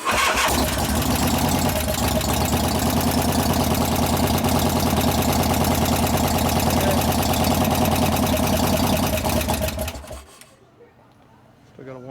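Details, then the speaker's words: 1988 Harley FXR V-twin after cam change and pushrod adjustment, cold start in neutral after pre-lubing lifters, thin oil: runs with steady light ticking about three per second over the lope; one or two hydraulic lifters still noisy, oil pressure good. "got a 1 or 2 in there still making noise, but yeah, that's pretty good oil pressure."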